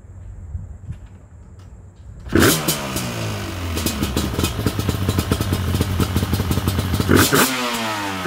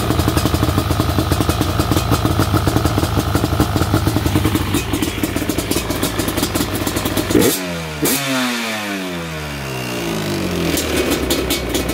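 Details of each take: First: Yamaha Banshee twin two-stroke quad with dual petcock rebuilt and carburetors cleaned, stock mufflers: fires after a couple of seconds, smoky, burbling and crackling unevenly under throttle blips, running a rich mixture. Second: Yamaha Banshee twin two-stroke quad with dual petcock rebuilt; smoky, rich mixture, but sharp rasp revs up and drops back cleanly with crisp, even firing, running healthy.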